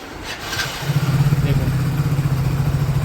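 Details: 2024 Hero Passion Plus BS6 after fixing knocking and cutting out, with pump connection refitted to the injector: single-cylinder fires up and settles into a steady, even putter, no stumbling or cutting out; normal idle.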